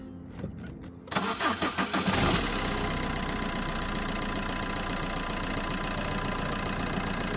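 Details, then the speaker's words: Ford Ka after fixing a rattling part by wrapping thick tape so it locks tight in its hole: starter cranks about a second, engine settles to smooth steady idle, no rattle or buzz. "it's quite thick so it should go through the hole and then lock into place to stop it from coming out and vibrating it's in there now that's tight"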